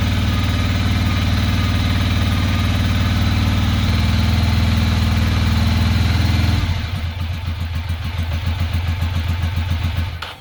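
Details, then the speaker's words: 2006 Ducati Monster 800 running for the first time in years after fuel pump replacement: the idle is lumpy with irregular thumps; the front cylinder isn't firing, and a clogged injector is suspected. "front cylinder is not firing only the back one's getting hot so we probably have a clogged injector"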